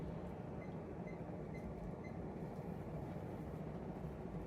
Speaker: It's definitely flying on medium. Oh yeah, no, I don't think medium's all that different from high.